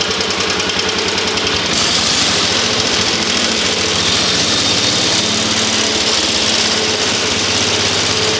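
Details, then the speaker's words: Rare antique tractor, once non-running, now started in neutral: steady, even single-cylinder putter at constant speed with no misses or knocks; healthy engine. "Look how long it takes for it to go down. It's got a very large flywheel on this underneath this cover."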